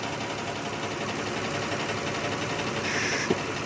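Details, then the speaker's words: 2006 Lexus ES330 at idle, engine running while the stuck number 5 injector is tapped: uneven idle with a soft irregular stumble about three times a second; cylinder 5 dead from an injector stuck closed, scope shows missing pintle hump. "It's got a dead cylinder on number 5 due to a stuck closed injector."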